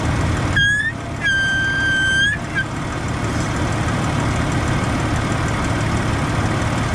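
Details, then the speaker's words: Jeep at idle, brake pedal pressed: clear high whistle for about two seconds over idle from power brake booster; owner suspects check valve, air leaking past its old grommet. "Alright, so I have this whistle coming from my power brake booster. I believe it is the check valve, which is right here."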